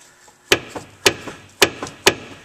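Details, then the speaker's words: Sharp metallic front suspension clunks as the wheel is rocked, the noise heard every time the brakes are applied; brakes are fine apart from a broken caliper piston, and a worn upper control arm bushing is the cause. "Whoa, that's what I hear every time I hit my brakes."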